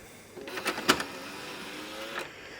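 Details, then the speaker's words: Sony PS3 Slim CECH-20001A disc drive, working but before teardown and cleaning; short whirring spin with a few sharp clicks and rattles from the drive mechanism, owner calls it awfully noisy, cause not confirmed. "But the other issue I have with this is the drive is awful noisy."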